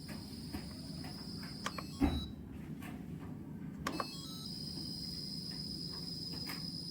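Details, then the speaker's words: Yongma digital rice cooker that powers on but won't heat or cook: a thin, steady high-pitched cricket-like hiss while it tries to cook, as if supply voltage drops; dried filter capacitors in the low-voltage supply. "Ada suara mendesis, desisan seperti jangkrik, seperti tegangan listrik menurun,"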